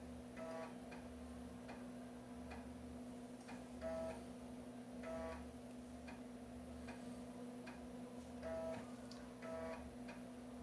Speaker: >> Barulhinho da cópia.